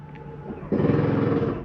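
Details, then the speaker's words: 2022 Jayco Eagle 355MDOK RV, slide retracting. A sudden loud rattling buzz comes from the slide motor as its clutch slips once the slide is fully in. This is normal and nothing is grinding or being damaged. "that noise is telling you if the slides in as far as it needs to go you don't need to bring it in any further it is nothing grinding on your slide"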